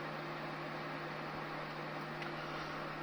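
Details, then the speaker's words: Titan TTC-SC21 roof fan in a campervan running at max. Steady, even air rush with a faint low hum, possibly from the makeshift mounting vibrating. No rattles or scraping. Normal operation. "Tak jak słyszycie jest szum. Jakieś lekkie buczenie jest, ale to być może dlatego, że ja zamocowałem to po prostu po prostu po bandycku, nie?"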